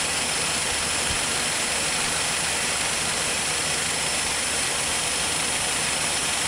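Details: 1947 Dodge engine idling after being removed and rebuilt to investigate a slight knock: even, steady idle with a constant rush and no knocking or tapping standing out; knock appears cured, bottom end sounds healthy.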